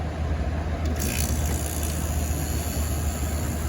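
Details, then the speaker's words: Quasar (Panasonic) 5000 BTU window air conditioner made in 1998–1999, previously warmed up, on low cool with the compressor on: quiet, steady low hum with smooth airflow, no knocks or rattles, already blowing cold. "Very quiet. Already cold. It's already pushing cold air out already."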